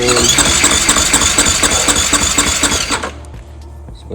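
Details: 2015 KTM 500 EXC-F, 1,800 miles, no-start with good spark and fuel: starter spins fast and evenly about four light beats a second with no firing; low compression, just above 50 psi versus expected 90 to 120.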